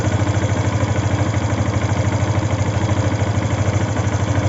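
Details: Yamaha FZ V2 engine noise problem at idle: a strong, even low thumping pulse about three times a second; the engine sounds off, cause not pinned down.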